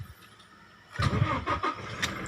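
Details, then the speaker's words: Newest Toyota Hilux with faulty remote alarm, harness plugged directly into the ignition switch socket to bypass it: brief cranking bursts, then catches and settles into a steady idle; starts cleanly. "masih nyala ya teman-temannya jadi kayak gitu aja caranya"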